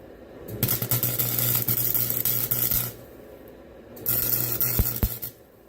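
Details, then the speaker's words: Welding while fixing an end table: two bursts of crackling arc with low hum and sharp pops, caused by a poor ground connection made through paint. "I don't know if you could hear that popping noise, but that means, that's because of the ground, and I kind of tried going through the paint. It did, but it just wasn't very good ground."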